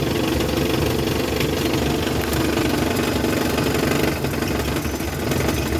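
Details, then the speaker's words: Classic camper van, under 100k miles, a mechanic called it a smoke show; owner's own repair, running in drive: busy but even engine note, no clear knock or misfire; running normally after the fix. "This beautiful sound here? This is the sound of me fixing my car when a mechanic couldn't. It's glorious."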